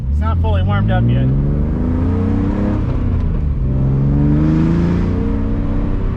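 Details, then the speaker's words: BMW E46 with M52 engine, aftermarket headers and muffler delete, no resonator, driven under load to higher rpm: harsh raspy blatty drone climbing with revs, plus a small backfire pop; needs a resonator. "oh it needs a resonator that's bad that sounds like that sounds terrible sounds like a butt trumpet that's not going to work for me"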